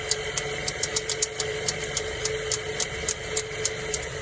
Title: Mazda 3 2007 AC Compressor clicking noise